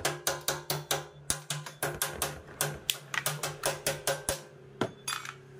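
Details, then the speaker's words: Honda PCX 160 scooter that would not start, running at low even idle only after the fuel pump/tank is tapped with quick raps about three a second; fuel pump suspected faulty, won't restart after sitting long. "kailangan tuktuk mo yung ah fuel pump pagka tinuktok mo Okay na so Mamaya makita natin kung anong problema niyan"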